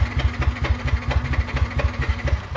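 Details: Yamaha NMAX that suddenly won't start: even starter chugging about four beats a second that never catches; fault traced to no spark from a fouled, badly gapped plug.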